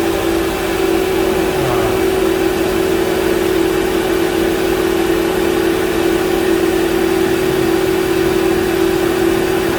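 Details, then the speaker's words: Mercedes G500 with M113 V8 after a noise repair suspected in the power steering or tensioner area, traced to a vacuum tee, engine covers on: even, steady idle with a smooth hum and no knocks, ticks or whine. Normal idle. "we'll go ahead and start her up and let you all have a listen to a nice quiet m113 all right fire in the hole"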